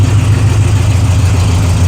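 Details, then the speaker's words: 1966 GTO V8 after carburetor mixture and timing adjustment, listening to the exhaust: deep steady low rumble with even beat, no knocks or misses; exhaust note sounds good; normal idle. "Let's uh see what the exhaust note says. That sounds pretty good."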